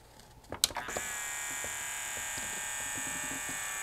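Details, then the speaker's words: Yamaha CDC-697 5-disc CD changer, tray won't close: thin, steady high-pitched loading motor whir with no tray clunk, belt slipping from migrating manufacturing grease; fix is cleaning belt with acetone. "was that loading motor just running i think it just needs a new belt better cleaning the old one and deglazing the pulleys might take care of this"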